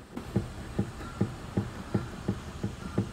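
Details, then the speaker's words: Suzuki Alto on a lift, tie rod rocked by hand: dull, evenly spaced clunks about three per second from play in the left inner tie rod ball joint at the rack. This caused clunks over bumps; fixed by replacing the steering rack with a rebuilt one. "はいえー原因はここのラックとですねタイロッドのボールジョイントまぁパイロットですねタイロッドが悪いと言ったところですねはい"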